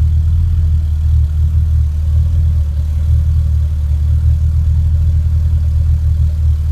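Low, rumbling idle with a slightly uneven, stumbling beat under the steady drone; sounds like a misfire, cause not yet pinned down.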